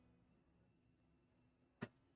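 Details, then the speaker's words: TronXY VEHO 4A 3D printer, first run during quad gantry leveling with the tap-style nozzle probe, unheated bed: one crisp click over faint fan hum, the normal snap of the probe switch tripping. "I hear it clicking too. So there's a literal switch in there."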